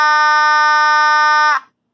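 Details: Simplex 2901-9806 B4 vibratone fire alarm horn after repairs to its contact assembly: loud, steady buzzing blare at an even pitch for about a second and a half, then a clean cutoff; works normally.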